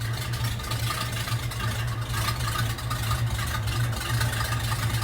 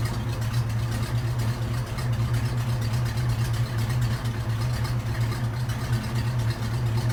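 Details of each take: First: Old hearse V8 with new exhaust and big return spring, idling without throttle while warming: uneven, lumpy loping idle with faint hiss, owner wonders if power steering; vacuum leak from collapsed, self-sucking PCV hose causing rough idle. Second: Old hearse with brand-new full custom exhaust and header gaskets, fresh oil after 50-mile break-in change, PCV hose fixed: steady, quiet even idle hum with no ticks or knocks; normal healthy idle.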